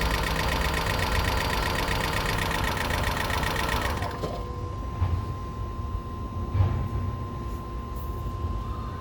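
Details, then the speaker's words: 2012 Toyota Prius V after head gasket rebuild and computer panel replacement: quick irregular ticking about four per second over rough low idle; lifters adjusting, expected to clear up, not confirmed. "not a good noise, but it's supposed to clear up, burn out."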